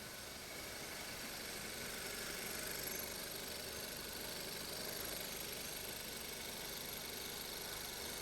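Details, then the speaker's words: 2015 Kia K3 1.6 GDI at 60,000 km, after carbon cleaning of the combustion chambers and intake valves plus new ignition coils and spark plugs: a quiet, even idle with a soft steady hum and no knocking. The knock is gone. "노킹은 지금 전혀 안 나는 상태입니다."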